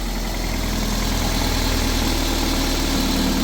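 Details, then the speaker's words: Toyota MR2 VVT-i idling after the catalytic converter was refitted as a temporary fix for an exhaust blow: steady, smooth low rumble, no longer tractor-like, with no puffing or ticking; exhaust now sealed, normal idle. "much better doesn't sound like a tractor and actually No Blows no exhaust blowing which is good news"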